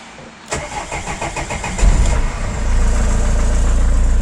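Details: Vauxhall Vivaro diesel van, after a temporary fix for a no-start caused by a holed fuel priming bulb and bad fuel line, started out of gear: the starter cranks, catches quickly and settles into a steady, even idle with no stumble.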